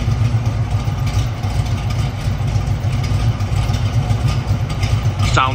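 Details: 1969 Pontiac Firebird Trans Am replica, 455ci V8 with rebuilt No. 96 heads, Edelbrock intake, 4bbl carburetor, stock Pontiac exhaust manifolds: deep, lumpy, even idle through the dual exhaust with no ticks or knocks; sounds healthy.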